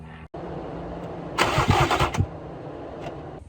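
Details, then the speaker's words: Sitting two years: E36 BMW 328i convertible, said to need a fuel pump and possibly overheated once. Fuel pressure gauge on the Schrader valve while cranking. Starter gives rough chugs about three a second, never catches; no fuel pressure, so the fuel pump is replaced next. "all right so i just watched the video back looks like there is no fuel pressure so we'll go ahead and swap out this fuel pump see if that helps anything"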